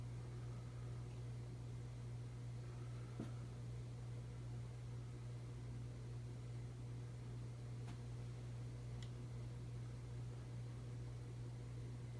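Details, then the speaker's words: 1981 Emerson Heat Fan 52-inch 3-blade ceiling fan on its original Emerson solid-state speed control: steady low electrical hum under soft fan rush, a common motor hum caused by the solid-state speed control. "You might hear that it making humming noise, it's common with solid state speed controls."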